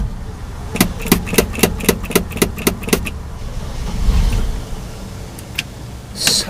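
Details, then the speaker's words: Cold 1968 Chevy, 283 V8, unstarted for a couple of months, primed down the carb: quick even cranking about four beats a second, brief life but no catch; it fires soon after, smoky. "oh we got life that's a little more like it come on she wants to she's wanting to oh"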